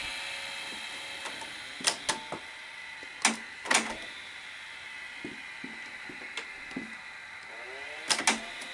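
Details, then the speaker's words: Customer's Betamax VCR (SL-HF/RS70-type): sharp irregular clicks and short stop-start motor whirs. It plays but sticks badly, won't unthread the tape on eject, and the solenoid isn't heard engaging. Suspected solenoid fault, not confirmed. "well it looks like it'll play it's got a severe sticking problem but when you hit eject it doesn't unthread the tape before"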